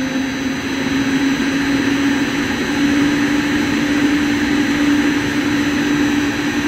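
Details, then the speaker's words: About 14-month-old AAON unit, 1 HP 460V three-phase Baldor fan motor on a VFD, after replacing bad bearings: clean, steady electric whine over smooth air rush with no grinding or rumble; normal motor whine. "it was sounding about like a Goodman before with the bad bearings now it's sounding like how an ion is supposed to sound"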